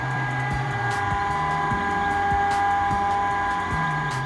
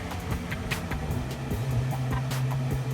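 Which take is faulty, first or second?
first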